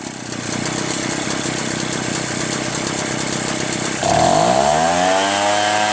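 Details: Echo PB-403T two-stroke backpack leaf blower after carburetor cleaning, magneto reinstall and high/low mixture screw adjustment, kill wire still disconnected: steady high buzz, then a clean rev-up settling evenly with no stumble; normal running.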